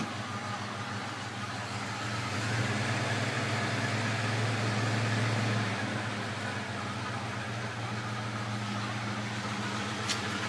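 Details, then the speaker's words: 1981 Ford F150, 302 two-barrel, C6 automatic, 70k, just started cold: a faint steady whine over idle, present in first, neutral, park and reverse and rising with engine speed; the owner suspects a worn transmission pump. "if it's pretty obvious that woring sound coming out of the is there in first neutral or or Park as well and reverse and it uh increases with engine speed"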